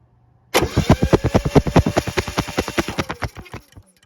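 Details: Honda EU6500is generator, previously no spark, after replacing failed GCU, battery at 12.3 V: quick, even starter chugs at about eight per second for three seconds, then spins down; normal cranking, spark now present.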